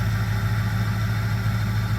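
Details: Ford 6.0 Powerstroke diesel truck running on a fuel mix of used engine oil and gasoline, cold morning start at 25°F after a long crank. Deep, steady, even idle rumble without misses or knocks; idles fine cold.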